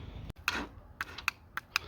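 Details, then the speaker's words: Chinese 250cc ATV with a dead battery: sharp dry clicks about three a second from the starter solenoid with no cranking. "so my batter's dead but you can hear the C clicking anyways"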